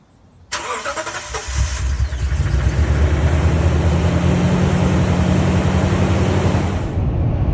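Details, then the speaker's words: 2019 Toyota Tundra, owner first suspected a third fuel pump failure: about a second of cranking, then a ragged catch and uneven climb to idle, sounding like a dying vacuum; shop found hard start from incorrect fuel ethanol (alcohol) percentage reading. "We'll see tomorrow when I start it up if it starts up well and roaring like it should versus the dying vacuum that it sounded like."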